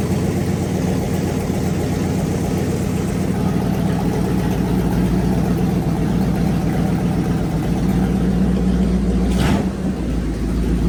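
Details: Fully rebuilt Magnum 318 V8 (360 cam, roller lifters, new timing set, valve job), timing adjusted and vacuum leak fixed, running heat cycles; even steady idle with smooth lope and one clean blip, healthy.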